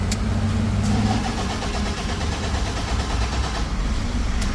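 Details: Toyota Fortuner diesel that stalled while driving and would not start: cranks, catches and settles into a rough, uneven idle, then dies; consistent with fuel starvation; SCV valve replacement and injector and pump pressure checks suggested.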